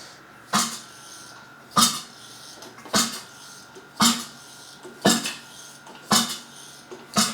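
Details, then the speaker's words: Freshly assembled Mazda 13B bridgeport rotary short block turned slowly by hand, expecting six compression pulses, three per rotor: about one even puff a second, seven in all, firm and matching; healthy, crank floats freely. "So basically, we should expect that we should get 6 nice clean pulses, obviously 3 per rotor."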